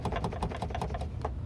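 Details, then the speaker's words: Fiat Cronos door panel rattle: quick light plastic clicks about five a second from a loose part inside the door, worse over bumpy, rough streets; found with panel removed, fixed by retightening the loose screws. "está solto ó tá vendo aí a máquina ela fica com fogo e mostrar ao vivo viu papai tem que respeitar aí esse barulho aqui é maior chato né galera"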